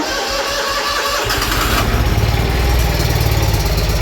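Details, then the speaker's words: Twin-cylinder mower during spring service, at start-up. It catches into a lumpy, uneven beat and seems to run on one cylinder; the owner suspects the spark plug he disturbed, which is not confirmed. No leaks are seen. "I'm only running on one cylinder, it sounds like. Probably because I messed with that one."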